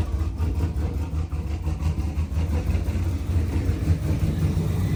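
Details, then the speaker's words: Pontiac G8 V8, first start after an engine rebuild: a deep, steady rumble settling into idle with a slight lope and no knocks or rattles; the exhaust fitment still needs checking. "All right, y'all. So as y'all can see, car started."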